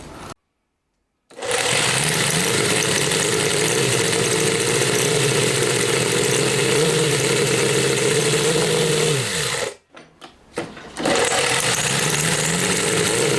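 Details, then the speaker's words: Homemade four-cylinder CD125four engine (Honda Monkey converted, ver1.1) on bench after fitting smaller carb for higher airflow: fires within a second, steady even idle, restarts easily; better starting than first carb; normal, though No.4 head blows by. "はい、再燃差はつけてないのであんまりバンバン回すわけにもいかない、かけ続けるわけにもいかないですけど、とりあえずは問題なく始動しますね。やっぱ流速が上がったおかげで最初のキャブより始動性は良くなってますね。"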